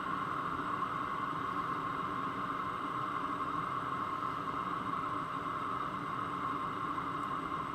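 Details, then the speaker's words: New BougeRV 5 kW diesel heater turned down from highest to medium setting: steady even hiss and soft combustion roar, exhaust getting much quieter, still very hot air; normal running at reduced power. "It's definitely getting quieter. The exhaust is getting much quieter. Still very hot air coming through."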